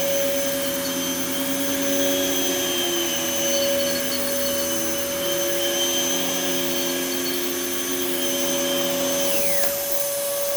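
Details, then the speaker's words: Dirty Bissell Heavy Duty (Healthy Home) upright vacuum: a steady high motor whine with shifting tones that slide and drop near the end. It runs but sounds a bit off, likely needing cleaning. The belt feels like it's slipping a bit. "it sounds a little funky but it's honestly not that bad"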